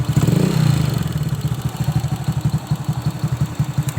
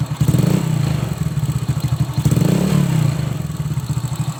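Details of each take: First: Old Honda Supra X motorcycle, clatter from the cylinder head cover when revved, quiet at idle: loose rapid ticking on each firing pulse; loose valve clearance or worn valve guides suspected. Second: Old Honda Supra X motorcycle after valve clearance adjustment for a rattling cylinder head: single rev and settle, even smooth exhaust pulse, top-end ticking much reduced; slight remaining noise possibly from worn valve tips or rocker.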